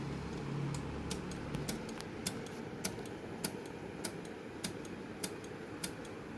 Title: Sony dvd player making noise and not reading cd